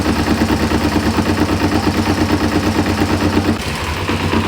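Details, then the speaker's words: 1994 Kawasaki Ninja 250 (ZZR250) sat for years, on choke: rough low idle with a regular clatter about three times a second that briefly drops away; knock disappears when clutch is pulled, owner unsure of cause, possibly the clutch. "it's really hard to say what's causing this I don't know if it's the the clutch certainly you pull the clutch and the noise disappears"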